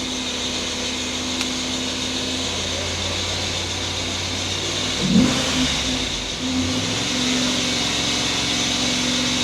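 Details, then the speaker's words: Freshly rebuilt LS4 5.3 V8 in a 2006 Monte Carlo SS, held around 2000 rpm while warming up after first start: a thin high chirp over the engine note from the accessory belt slipping. "yeah that noise is a that's a belt noise going on in there"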